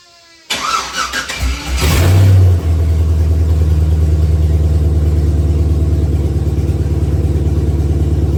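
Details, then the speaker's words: 1966 Chevy C10 with a newly installed stock LS1 V8 swapped in for an LT1, restarted once more; no charging or cooling system is fitted yet. It cranks, flares briefly, then settles into a smooth, even, deep, quiet idle. Normal. "yeah it's funny how quiet stock by threes are"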